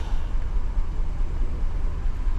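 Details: 2015 GMC Yukon 6.2 V8, misfiring after the customer refueled: heavy idle with a faint uneven stumble; scan tool shows cylinder 3 currently misfiring, code P0300 engine misfire detected (title lists P0303).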